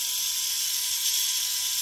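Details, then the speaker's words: Tamiya Mini 4WD MS/MA chassis with the m4dtang floating gear fitted, running with no grease on the gears: a steady, smooth, high motor whir with no grinding or forced sound. The gears mesh fine. "There's no any force training sound, no weird sound at all. Especially I didn't put any grease at all."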